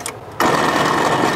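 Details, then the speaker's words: 1946 International KB1 truck, sitting over 50 years with an engine once locked solid: the old, hot starter gives about a second of high buzzing whir without turning the engine; owners suspect the battery or a failed starter. "try it one more time that sounds like the battery though don't either that or the starter just completely completely went out"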